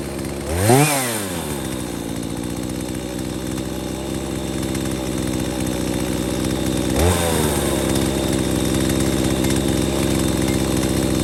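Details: Husqvarna 240 chainsaw with a new aftermarket Hipa carb after correcting high/low and throttle adjustments (previously bogging), restarted after sitting 15–20 minutes: revs sharply, drops back, then settles to a steady even drone with no stumbling; basically running good.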